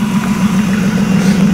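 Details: BMW E36, back running after a long while, warming up: steady, even idle with smooth low drone, no ticks, misses or hissing; normal warm-up idle.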